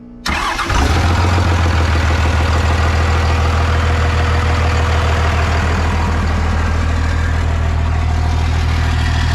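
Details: 1998 Dodge Ram 2nd-gen Cummins diesel, first run after problems solved, no coolant yet so run briefly: catches within a second, steady even clatter, smooth drone; oil pressure and charging present; normal idle.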